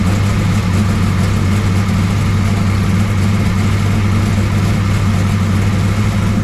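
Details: 1969 Camaro pro street V8 after Holley carburetor rebuild and ignition timing adjustment; loud steady low burble, even lumpy beat, no knocks or ticks; idling smoothly, runs pretty good, valve lash still to check.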